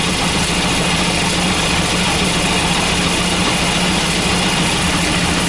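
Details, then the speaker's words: Volvo 940 B230F redblock with hard starting, after checking the fuel pressure regulator: loud idle with an uneven, lumpy beat and some shake, probably made to seem worse by the engine mounts; still running rough at idle. "I think probably the engine Ms are making it seem even worse than it is but obviously it's definitely not running how it should either"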